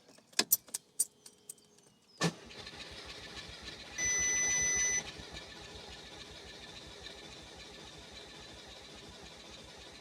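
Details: Audi TT Mk2 EA113 TFSI being restarted after DIY carbon cleaning, intake pipe, turbo hose and throttle body refitted with one throttle body bolt missing; starter churns steadily about three beats a second without catching; extended cranking, no start.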